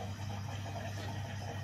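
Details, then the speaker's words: Bosch Serie 4 washing machine, 4 months old, 30-minute quick wash, final pump-out near 29 minutes; low steady hum with faint watery gurgle, even drain, normal. "okay pumping out for the final time"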